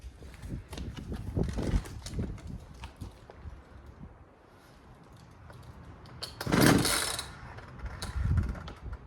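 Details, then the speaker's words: Poulan 2150LX chainsaw that will not start: several hard cord pulls without firing, each followed by an uneven, funky scraping rewind that doesn't fully retract; worn recoil starter spring. "And if you paid attention to the sound it was making, as I was pulling and then it would retract, you can hear the recoil spring making some kind of funky noise and it wouldn't retract all the way."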